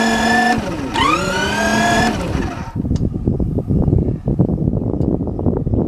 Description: First start after the full rebuild on the sidecar engine. Pretty sharp.